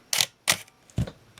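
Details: Minolta X-700 35mm film SLR with 50mm f/1.7 lens, shutter test at 1/4 second; two crisp clicks about a third of a second apart, open then close with no drag, shutter working normally.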